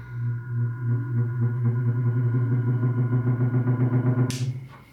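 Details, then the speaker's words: Single-phase AC condenser fan motor (5-wire) on the orange low-speed lead with an extra inductor, started by hand-spinning the blade. A low hum with a soft pulsing beat steadies gradually: slow startup. "has kind of a slow startup."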